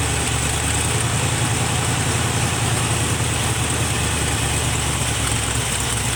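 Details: 1971 Chevrolet C20 with a swapped-in 454 big block, just started: heavy, loping, unsteady idle under a constant hiss. The owner says a vacuum leak at the carburetor base is the cause and plans a match test, so it is not yet confirmed.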